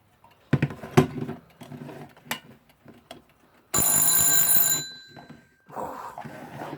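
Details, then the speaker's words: Haller alarm clock after servicing, already wound: around handling clicks, a loud, rapid, clean ringing bell for about a second; alarm works normally, very loud. "so it's very loud definitely wake you up"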